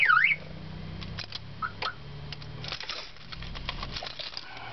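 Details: 2003 Nissan Sentra SE-R won't start: all power cuts out when the key is turned to start, then a short warbling alarm chirp after re-inserting the key, followed by clicks; the electrical cutout cause is still unknown.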